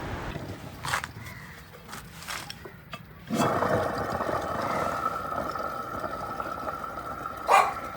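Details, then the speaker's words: Electric scooter hub motor, previously opened, being repaired: after a few light clicks a rough growling whirr holds steady from a worn hub motor bearing (6201), noise mostly heard when accelerating. "ഇപ്പോൊ നമ്മൾ കേട്ടില്ലേ അതാണ് ഈ മോട്ടോറിന്റെ bearing ബോമ്പുള്ള sound നമ്മൾ ആക്സിലറ സമയത്ത് ഈ ഒരു സൗണ് ആണ് കൂടുതലായിട്ട് പുറത്തു കേൾക്കുന്നത്"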